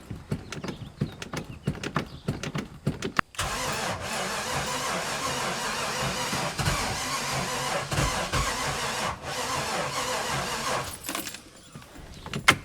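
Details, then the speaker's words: 1996 Sea Ray 260 carbureted big block boat engine, sitting for years, after priming: starter grinds in uneven bursts, catches roughly and dies; suspected ignition timing off, corrosion around carb noted. "after cranking the engines for a number of times the engine wasn't starting it almost sounded like the ignition timing was off something definitely wasn't right"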